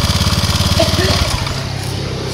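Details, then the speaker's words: Honda Vario 150 scooter with the switch reconnected after a no-start starter fault: it catches at once on the starter, sputters briefly, then settles into a steady, even idle; removing the switch stopped it starting. Normal start and idle. "Nah, oke teman-teman, jadi pada saat ini digabung, starter ini langsung hidup, langsung nyamber ya."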